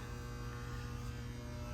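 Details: Dynapower SD-24 500 A 9 V water-cooled, filtered rectifier on 480 V 3-phase, starting up with volts and current rising: low steady electrical hum with faint high whine, even; normal, zero ripple shown.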